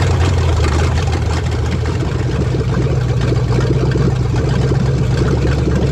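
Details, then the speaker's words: 1970 Dodge Charger, 383 four-barrel V8 after refitting the original carburetor and taking a little timing out: steady, even, deep-rumbling lope with no misses, knocks or ticks; normal idle. "Sounds like it's running pretty good now."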